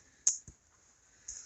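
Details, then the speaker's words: Electric fence insulator in freezing weather: two sharp, dry ticks about a second apart over near silence as frost on the insulator lets the fence current arc across. "see that there's enough frost on that insulator that it's arcing through not much I can do about that"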